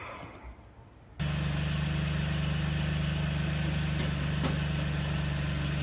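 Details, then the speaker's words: Used vehicle just jump-started at idle: the engine catches and settles into a steady idle with a fast, uneven ticking puff on the exhaust. Exhaust leak at the flex pipe, even though the car passed safety inspection. "I don't know if you can hear that flex pipe back there leaking, but they passed that. No exhaust leak."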